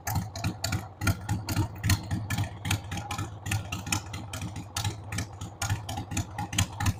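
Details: 1993 Harley-Davidson Sportster 883 Evo V-twin, sat about 15 years, started on starting fluid with a dead battery: uneven, loping idle with irregular thumps three or four a second that stumble and surge; rough idle, owner says the carb needs cleaning.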